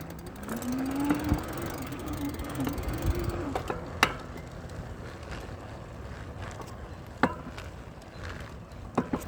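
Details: Velowave e-bike while riding: hub motor whines up to speed while heavy, irregular clunks knock constantly from the front wheel, occasionally going away.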